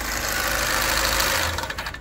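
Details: Opel Astra K at 169,000 km, before engine teardown for heavy maintenance, started up: a harsh metallic timing chain clatter rides over the engine as it cranks and catches, then fades as it settles.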